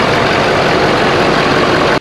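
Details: 2011–2018 Ford F-250 6.7L Powerstroke diesel after replacing the failed OEM cold-side intercooler charge pipe with an aftermarket one: loud, steady idle with no whistle or hiss rising over it; intake sounds sealed and the truck idles normally.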